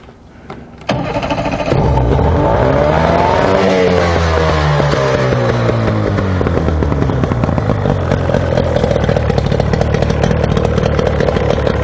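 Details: Outboard boat motor that sat a long time, after carburetor rebuild and new fuel filter/water separator, primer bulb pumped firm, hooked up to water: fires within a second, revs up, settles to a steady even idle; runs cleanly.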